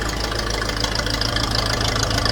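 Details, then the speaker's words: Old grey Fergie four-cylinder tractor, started on choke after years sitting in a field: a steady, even idle without stumbling or knocking, a little smoke, running like a Swiss watch. "oh yeah isn't she running and don't she run like a Swiss watch"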